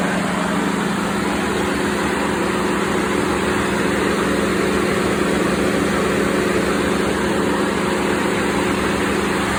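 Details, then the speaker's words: 2016 Ford F-150 5.0 at idle with A/C on full cold: steady loud rushing whir as the cooling fans kick on high, triggered by excessive A/C high-side pressure; owner suspects a blocked expansion valve, with low side near 5 psi. "So I'm going to turn the AC on full blast cold, and you're going to hear the cooling fans kick on."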